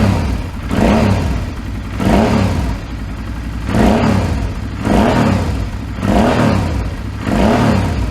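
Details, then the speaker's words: 2008 Suzuki V-Strom 650 after swapping in a replacement engine of unknown history, first run: throttle blipped about once a second, revs rising and falling cleanly with an even beat and no knocking; spitting some debris from exhaust, sounds healthy. "Well, that sounds pretty good. Sounds nice."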